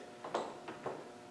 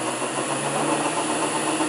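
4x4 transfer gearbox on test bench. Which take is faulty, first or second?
second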